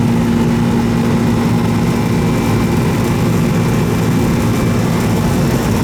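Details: Old R-22 Goodman AC that was running but not cooling, after service: steady loud hum with a low drone and fan rush. The growly old compressor runs continuously, noisy but working.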